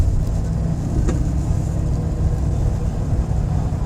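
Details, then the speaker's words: Old Chevy Silverado V8 truck on a test drive after fixing a bad P0300 misfire by replacing NGK coils, spark plugs and wires, the EGR valve, MAF sensor and crankshaft position sensor: deep, even rumble pulling smoothly with no misfire. "as you guys can see the truck running great doesn't have any misfire everything is perfect"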